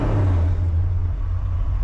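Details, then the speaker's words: 1967 Pontiac LeMans, built 462 roller Pontiac V8 (about 500 hp), stock manifolds, new dual exhaust, raised from 600 to 1000 rpm, oil pressure about 85–90 psi, temperature about 150: deep, even rumble, smooth firing, no knocks or ticks. "i'm gonna raise that up to a thousand rpm you're running 85 pounds 84 pounds oil pressure that's awesome actually about 90."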